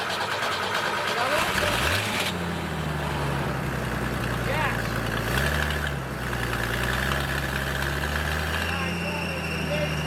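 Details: Military surplus forklift, first start attempt after purchase with fresh fuel and batteries; cranks briefly, catches at about two seconds, holds a fairly even idle with one short throttle blip; starts and runs fine.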